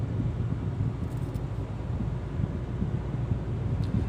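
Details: Hyundai Creta automatic, in-cabin recording at about 65 km/h with AC on; steady soft low road rumble, barely any tyre roar or wind: normal quiet cabin road noise.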